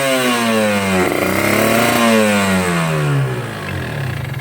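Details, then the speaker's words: Two-stroke motorcycle (tagged Ninja) with a rich ("wet") low-end carburetor setting that wastes fuel: revs rise and fall with a heavy, blubbering low-speed note that cleans up poorly. Rich mixture at low rpm. "Nih, berat. Berebet ya. Ini bisa digas, cuman berebet ya, putaran bawahnya berat. Beda ya sama yang tadi ya."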